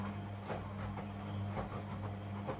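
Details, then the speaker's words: Washing machine on a narrowboat, powered by a solar generator, after filling and drawing about 160 watts: low steady motor hum with soft swishes and tumbles about every half second; normal drum rotation. "Pumps off. It should be full. Here we go. It's spinning."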